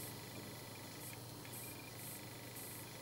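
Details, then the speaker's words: Adjustable switching power supply, 0 to about 19.7 V, loaded with a 24 V bulb: thin steady whistle near two kilohertz with shriller bursts at around 1.9–2 V output; regulator self-oscillation suspected, not confirmed. "Вот 1,9 вольт, 2 вольта свистит. Слышите?"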